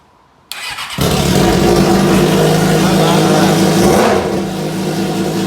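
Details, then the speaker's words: Salvage Suzuki GSX-R, stripped with pipes pulled off, started on a jump pack with clutch pulled in, water unchecked: short crank, then loud steady multi-cylinder idle with slight rev and settle, no knocks or misfires, open-pipe noise; normal running. "but to hear it run has really made me smile even more. I'm so happy about that."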